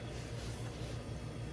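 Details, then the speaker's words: General Electric fridge that lost power: compressor likely got too warm and shut off; after cooling the overload protector socket and plugging back in, cooling fan starts and compressor runs with a steady low hum and slight pulse, expected to run a few hours until it heats again. "okay let's see if the cooling fan comes on and there you go so the compressor was too warm just now is probably what turned it off"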